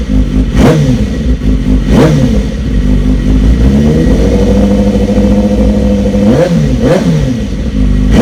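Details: BMW S1000RR just after fitting a decat link pipe: loud crisp exhaust note sweeping up and dropping back on each throttle blip, revving freely and cleanly; noisier but healthy.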